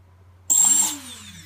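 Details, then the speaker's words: Emax Nighthawk Pro motor after active braking was enabled through throttle programming of its ESC: a short high whine spins up, then falls away quickly. The motor brakes forcefully to a stop as it should. "I can test to see whether number three is doing the same thing as one or two now so here we go yeah you know it stops forceful spinning all these stuff"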